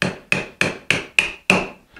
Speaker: listen to how the pitch will change as I get to the bottom of this dovetail that change in Pitch tells me I'm at the bottom and I need to stop chiseling